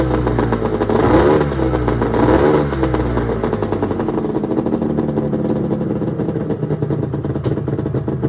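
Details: 1996 Arctic Cat ZRT 600 two-stroke snowmobile, cold start after fuel pump rebuild (Vertex kit), fuel shut off overnight, tilted on tripod: catches cleanly, two sharp throttle blips, then a steady even buzzing idle with no misses; normal running.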